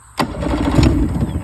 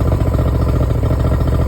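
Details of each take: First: Yamaha 70 no-start, about a tablespoon of gas poured into the middle spark-plug hole, full choke: cranking suddenly catches with pops and about a second of ragged running, then won't keep going; brief firing after fuel priming. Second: Yamaha 70 two-stroke outboard after a no-crank no-start fix, run briefly without cooling water, half choke, not revved: low, steady putter at fast idle, even firing, no misses or clatter; healthy.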